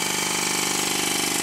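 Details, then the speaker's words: Stuart 10V steam engine on compressed air, before shimming the high crankshaft main bearing: quick even beat with light knock each turn; before/after comparison of main bearing knock. "after doing this job the difference is very noticeable the knocking has all but disappeared"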